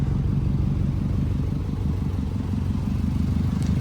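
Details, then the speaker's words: Subaru WRX with rebuilt engine, new rings and gaskets, switched to OEM exhaust, idling with hood open: steady idle with quick sharp puffing tick over the low exhaust note; exhaust leak, later fixed. "Yeah, I don't know if you guys can hear it, but the exhaust leak is right there."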